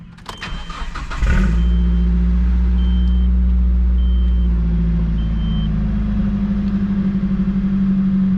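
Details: 2002 Nissan Frontier XE 2.4L four-cylinder, 5-speed manual, 164k miles, after coolant leak repair: quick crank, catches cleanly, settles to even steady idle with no misses or knocks; normal start and idle.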